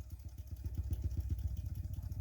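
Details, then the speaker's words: Sony TC-206SD tape deck on play, line out via RCA to amp aux input: deep rapid thumping, about eight pulses a second, in left channel, rising with line-out volume; suspected preamplifier oscillation, not the record switch, unconfirmed. "And we get this sound coming from there. I'll turn up the volume and I get the sound from left channel. When I increase the volume on the line out, it actually oscillates higher."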